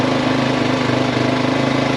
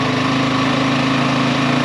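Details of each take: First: Yamaha XT350 single after a coil change, now running better: settles into its own steady idle but an unfamiliar irregular noise rides on top; unusual noise at idle, cause unknown. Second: XT350 single-cylinder after a new coil and after the fuel was turned on: even, steady thump at idle with no stumbles. The engine caught its own idle and is running much better.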